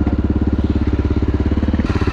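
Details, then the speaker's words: 2011 Honda XR650L after sitting about two years with top end apart, carburetor cleaned by revving and covering intake: steady even single-cylinder thumping with no tapping on top; tapping noise gone, idling cleanly. "no more engine noise but definitely needed to carve clean"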